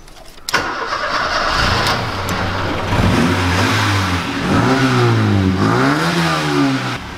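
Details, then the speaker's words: Old overhead-valve engine, exhaust fixed, cranks and catches, then settles into the choppy, lumpy loping idle nicknamed "the chopper", with a few blips; normal for this engine. "can probably hear that chopper noise for these engines had a bit of a nickname when I was younger and we just call these the choppers"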